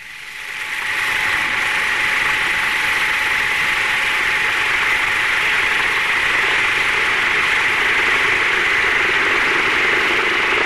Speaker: the relationship between the head and flow rate of a pump with a channel impeller has been changed in operation until the cavitation has started